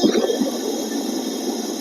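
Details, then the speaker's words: Mercedes-Benz W205 C350e hybrid with a recently replaced A/C compressor, A/C set coldest with fan speed 3, blowing warm: steady airy hiss with a faint whistle behind the dash. Suspected refrigerant leak in the evaporator box and low charge, leak size unknown. "มยฮะเสียงเหมือนน้ำยาแอร์เดินอยู่ข้างในมีการรั่วในตู้นะครับแล้วก็น้ำยาแอร์คงลดระดับครับความเย็นเลยหายไปนะครับ"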